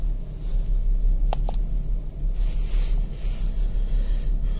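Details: 2007 Kia Sedona on a cold morning, 4°F, check engine light on, running horribly: low, uneven stumbling rumble; codes P0300, P0301, P0302, cylinder 2 misfire today after cylinder 1 misfires on previous days.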